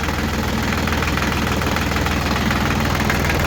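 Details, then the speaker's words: Diesel tractor after fuel filter assembly replacement with new shutoff valve and bleeding, for fuel gelling and no-start problems: steady even diesel clatter at idle, no misses; normal idle. "Oh, that looks good. Sounds good. We're back in business with a fuel assembly."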